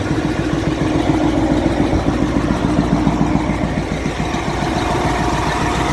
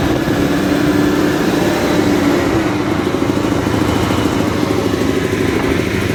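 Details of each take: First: Caterpillar 988F2 loader diesel with hard starting and heavy black smoke: uneven knock about three or four times a second at idle; broken cylinder 5 injector hold-down bolt let the injector pop up and leak fuel. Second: Caterpillar 988F2 loader after repair of cylinder 5 injector whose broken hold-down bolt let it lift and leak fuel: steady, even diesel rumble with no knock; engine idles cleanly.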